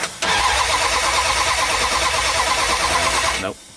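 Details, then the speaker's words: '78 Dodge Power Wagon with 383 V8, sitting over 10 years: starter spins about three turns a second for three seconds with no firing; no spark, 12 volts at coil, coil or bulkhead wiring suspected. "so we don't have spark why don't we have spark um probably something to do with the coil and all its funky wiring over there at the bulkhead"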